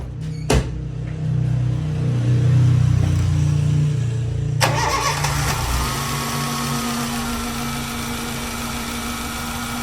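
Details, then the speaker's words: 2005 Honda Fit after tightening the alternator/accessory belt tensioner bolt: engine cranks and settles into steady, even idle with belt squeal gone; belt worn, pulley bearing may still need replacing. "Ó, pessoal, parou de fazer o barulho."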